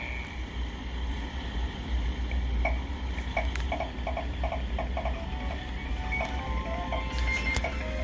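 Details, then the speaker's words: Sega Nomad after repair for no audio and game crashes (capacitors replaced), speaker reattached: game tones come only as thin, faint blips under steady hiss and low hum; speaker output far too quiet, headphones show left channel much softer than right. "Okay. Yep. I hear sound. It's very faint"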